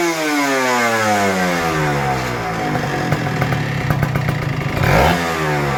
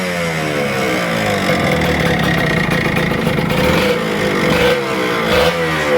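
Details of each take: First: Kawasaki Ninja RR 150 two-stroke after service and setting fixing heavy pull, stutter and sticking throttle/KIPS; crisp revs climb and fall cleanly with no stutter or bogging; normal, healthy revving after repair. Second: Kawasaki Ninja RR 150 two-stroke before service, revving: uneven stuttering crackle and ragged bursts, heavy pull, sticking throttle and slow-returning power valve; misfire and stutter under load, very dirty power valve found.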